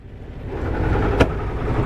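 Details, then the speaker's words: 1978 Yanmar YSB8 marine diesel, sat 10+ years in a flooded boat, first run in years, at about its lowest idle, shifted into forward: low steady rumble staying smooth; propeller turning, healthy. "Sounds like the propeller's turning. Let's see. Just gonna walk down and take a look at it for myself."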